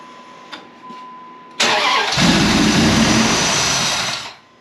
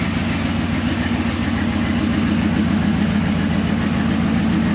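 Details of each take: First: 2004 Dodge Ram 1500 SLT four-door, first start attempt after purchase with intake not fully reassembled and an unidentified line plugged: short crank, catches, settles into loud steady idle; no ticking from the front despite a mechanic's timing-chain claim. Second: 2004 Dodge Ram 1500 SLT: steady low idle pulsing about three to four beats a second, no ticking from the front, so timing chain seems fine despite a mechanic's claim; cam position sensor code cleared, sensor to be replaced if it returns.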